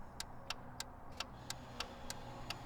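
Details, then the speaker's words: 2014-2022 Jeep Grand Cherokee with switchback LED 7443 front turn signal bulbs: sharp relay clicks about three a second, hyperflash with a front turn signal out warning. Fixed by rotating the bulb 180° until the car detects it. "All right, so it's blinking. I'm getting hyperflash, as I'm sure a lot of you are getting hyperflash."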